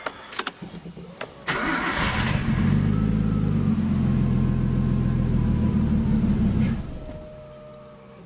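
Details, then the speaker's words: Nissan Skyline RB20 engine just after an Audi R8 coil pack conversion, cold start: it cranks, catches and runs lumpy with a constant misfire, sagging as it struggles to hold idle, then seems to hold. "you can hear that it's actually it's like a constant misfire actually now I think it's holding it"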